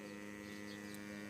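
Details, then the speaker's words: Sewerin Variotec 8 tracer-gas leak detector, several years old, just switched on; built-in gas-sniffing pump runs with steady even hum at one fixed pitch, no surging or rattles, reading 0 ppm; normal pump running. "Donc là on on entend la pompe. Il est donc comment dire ? Il y a une petite pompe qui est intégrée pour venir renifler le gaz."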